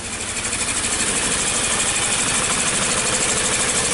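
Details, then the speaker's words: 2003 Toyota Wish in for rough idle and power loss, codes P0200/P0201: uneven lopsided idle over sharp injector ticking; cylinder misfire from an injector circuit fault, check-engine lights on. "all right so the vehicle came in with a rough idle"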